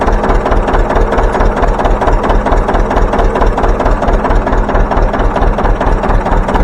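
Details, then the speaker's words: John Deere 720 two-cylinder diesel started by its pony motor, now running on all four cylinders with factory coils: deep, even pop-pop beat about ninety a minute with solid low thumps. Running cleanly. "then you'll see me pull back on a starter drive and get the engine turning and then I'll turn loose of the compression release and hopefully it goes pop pop pop"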